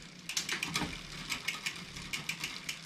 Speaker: As you can see there, it doesn't sound good. And we're rubbing up against the next cassette here.